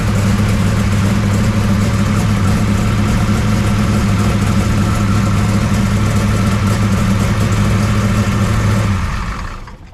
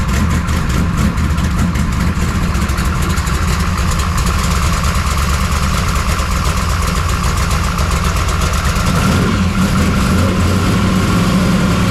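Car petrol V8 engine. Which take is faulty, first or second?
second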